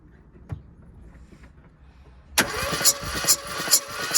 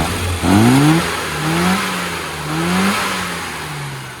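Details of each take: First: Classic Mini, cranking with throttle open during compression test: starter turns about two beats a second with uneven, soft compression strokes; cylinders three and four read only 70 psi, blowing across between the two cylinders. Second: Car after tune-up with carburetor needle changed from AAC to AAF: quick throttle blips, engine climbs crisply and drops back smoothly with no hesitation, far better than before.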